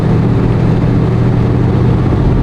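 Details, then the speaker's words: Engine with a very large, high-overlap cam on a Holley Brawler 950 CFM double-pumper carb, car still cold, tight torque converter, stopped at a light: a deep, heavy, steady rumble with no misses or knocks. It idles fine. "So everything's fine. It shifts. It idles fine at the light."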